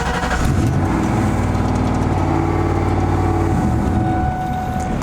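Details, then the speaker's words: 2004 Ford Mustang Mach 1 turbo V8, heard from inside the cab with the exhaust cutout closed, running through two Flowmaster 40 series mufflers: fires and settles into a steady, deep burble with no knocks or misses. Normal cold start. "cold start doesn't sound too bad again that's just normal exhaust out the tailpipes through the mufflers"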